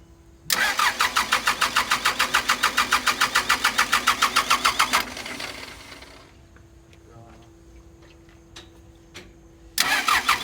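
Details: Pettibone Model B-66 lift machine diesel after 8 feet of flooding from Hurricane Ida, fuel and injectors changed: steady cranking about three and a half turns a second, pausing and recranking without catching cleanly, hard starting.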